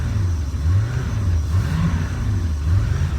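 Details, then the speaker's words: 2005 Bayliner 219SD boat engine, warmed up after recent run, throttled up slightly: deep, steady exhaust burble rising and falling smoothly; engine healthy, idle and charging fine. "Here, I don't know if you can hear the exhaust. But the engine runs very well. It's a good engine."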